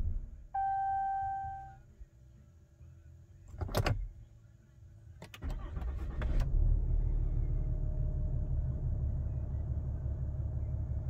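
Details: 2020 Ram 2500, cold start: the engine starts and idles, then sags and nearly stalls each time it is shifted into reverse or drive before recovering; a stumble when engaging gear.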